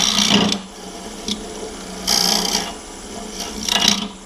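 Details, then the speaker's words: Woodturning lathe hollowing a hollow form with a Simple Swan Neck Hollower in the Simple Hollowing System: three bursts of harsh, buzzy chatter over low lathe hum; lowering part of the system puts more pressure on the tool at the tool rest, often curing chatter. "You hear that chatter there? Sometimes when you do this, if you lower this part down right here, it puts a little more pressure on the tool up here at the tool rest. And a lot of times that'll help with that chatter."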